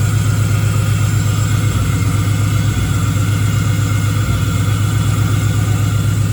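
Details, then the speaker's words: Engine-swapped Camaro with a 6.0 V8 at its first start after the swap, with the tune still being sorted: it runs weird, popping and banging, and has an uneven, lumpy idle stumbling about four times a second. Misfire from a miswired ignition coil harness. "But anyway, we got it started and it was running real weird and popping and banging and whatnot."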